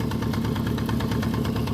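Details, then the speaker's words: 1973 Honda CB350F idling around 1200 rpm after an 8-year layup and carb rebuild: busy, even idle with light mechanical clatter on top; owner suspects the primary chain rather than the timing chain, unconfirmed. "I don't know how much platter is acceptable on these but after watching a video of a guy that's got one of these apart I'm wondering if it's the primary chain not the timing chain"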